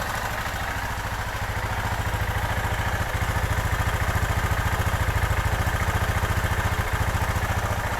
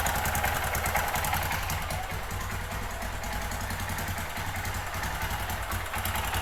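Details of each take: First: 2005 Kawasaki Bayou 250 after a cheap top-end rebuild, warming up on a carburetor that is due for replacement: even single-cylinder thumping that holds steady without stumbles until shut off. The idle is healthy. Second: 2005 Kawasaki Bayou 250 single-cylinder ATV after cheap top-end job, cold first start on auxiliary fuel can: uneven thumping, ragged hunting idle; rough running blamed on bad aftermarket Chinese carburetor, improves once warm; carb to be replaced.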